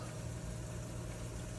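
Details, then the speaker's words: Newly installed WaterDrop WD-G3-WNP reverse osmosis system on its first startup, draining the filters: steady, low, even electric pump hum with no rattles or surging; running normally. "It's running, it's draining out the filters."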